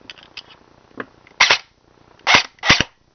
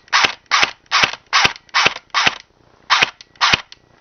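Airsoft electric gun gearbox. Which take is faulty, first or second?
first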